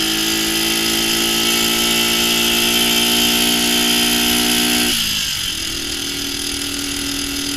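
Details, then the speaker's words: Restored 1965 Honda CB77 Super Hawk, four-speed with a low third gear, riding: smooth, even revving climbs through second, then the pitch drops sharply on the upshift into third and it keeps pulling cleanly; healthy engine. "there you can really hear that shift into third how low of a gear that is"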